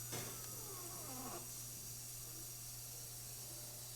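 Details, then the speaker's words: Gaggia Babila espresso machine after shop service (clogged spouts cleared, tune-up, brew unit cleaned), brewing one espresso: a short motor whir of about a second over a steady low hum, then quiet, as the brew unit moves normally into brew position. "Now it's going to go into brew position to start brewing."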